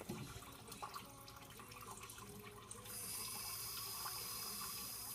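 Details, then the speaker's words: Double-trapped furnace condensate line with traps full of water and no trapped air (lid had been off), air conditioner running in hot, muggy Florida: steady splashing and trickling water, no gurgle or burping, draining as fast as it is fed. "We're draining perfectly normal. As quick as I put it in, it's coming out."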